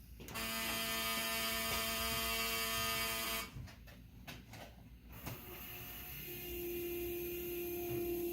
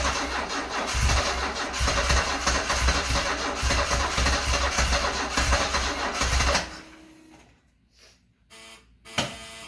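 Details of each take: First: 1974 Alfa Romeo Spider Veloce, 10K original miles, stored 30 years: after connecting the battery, a steady high electric whine holds about three seconds, stops, returns lower; normal fuel pump priming. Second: Stored-30-years, 10K-original 1974 Alfa Romeo Spider Veloce on about its 5th–6th start attempt: the starter cranks steadily at about 3.5 pulses a second for six seconds without firing, then stops.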